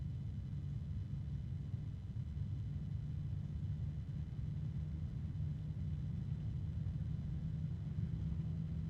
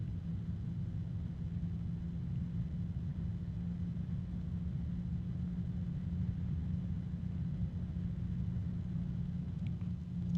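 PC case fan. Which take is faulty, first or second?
first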